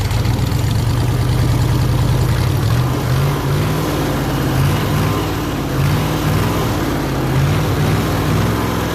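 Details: Ford 302 V8 air compressor engine, after carburetor rebuild and return to old points distributor: steady even low rumble with no knocks or stumbles, smooth healthy idle; normal idle.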